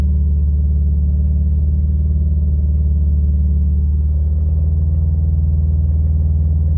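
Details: 2015 Subaru STI, stage 2 tune with intake, ported exhaust manifold, catless downpipe, 38mm EWG: faint regular rattle about once a second under deep idle, began after an oil change, ~2k miles since; Rotella T6 5w40; source unclear.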